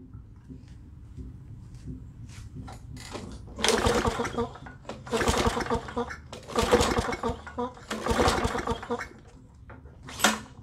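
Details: Lawn Boy push mower with Tecumseh four-stroke engine, no-start, brake cable tied off: engine catches in short bursts, swelling and fading about every two seconds, then dies; clogged carburetor main jet suspected, needs carb clean.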